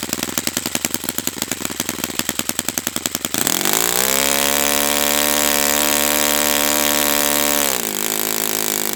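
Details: Brand-new Saito FA-100T twin model engine on test stand during break-in run: rapid starter chatter, then catches and holds a smooth, steady high drone with one brief dip; running perfectly, normal.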